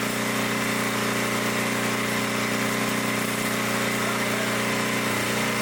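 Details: 1972 Dayton 3,000 W electric-start generator, unused for 30 years, started after reassembly for an RPM check: a steady, even drone at constant speed with no misses, knocks or surging, running properly.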